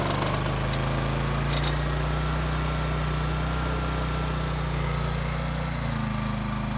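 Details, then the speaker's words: Low-hours Honda EX1000 generator driving a heat gun on high at full load (maybe around 1350). Small engine holds a steady, even drone with no hunting, surging or missing; normal running under load. "I'm going to put it on high but I'm going to turn it right up to full block which theoretically should be a [Music] may-maybe 1350 around there you can really really hear working now"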